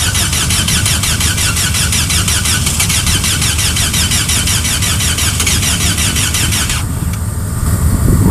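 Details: Car in frost after 15 minutes of preheating, with only one plug removable under its plastic intake manifold: long, even jump-start cranking that never fires; the engine turns freely but won't catch, possibly from flooded plugs.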